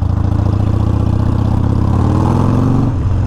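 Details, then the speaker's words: 2019 Harley-Davidson Sportster Iron 1200 rear brake, squeaking for over three years, after removing and cleaning it: steady V-twin rumble and road noise under light rear brake pressure while riding, no squeal; brake now quiet. "so obviously we got some uh more lights coming up we'll see how we do here all right light pressure on the brake nothing"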